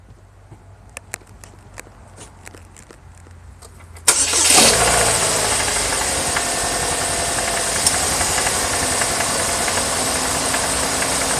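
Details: Chevy Cavalier 2.2 Ecotec, phone under hood, sound from left side: petrol engine cranks and catches, then idles with a light, regular knock over the hum, engine knock at idle.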